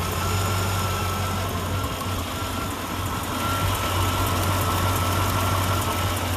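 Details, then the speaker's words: LT1 V8 after a throttle body coolant bypass, with a hose left uncapped; deep, steady idle with an even low rumble and no misses or ticks. Running normally. "yeah I got exhaust Li well it sounds like it's running good he's running all right"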